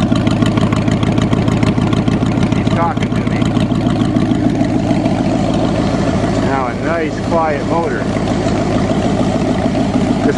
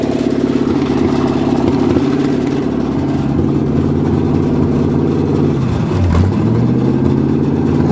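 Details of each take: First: Cheviac in freezing weather, after replacing two black, wet, fouled plugs and beating the rad cradle for fan clearance: steady, even low putter at idle, no misses or knocks, purring smoothly before first ride of year. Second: Cheviac (Chevy) demolition-derby car, start after fuel-line work at 2 degrees above zero: rough idle with fast light ticking scrape as fan blades hit the plastic radiator shroud, bent from demo derbies; two fouled plugs later replaced.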